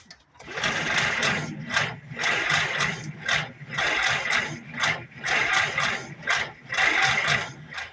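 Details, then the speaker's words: 1948 Willys pickup engine during revival: starter churns in long rhythmic bursts with pauses and never fires; no spark found, possibly a bad ground, and no gas in the carb; cranks but no start. "We're going to live dangerously here, but there's no gas in that carb, so it's not going to >> not going to light anything up."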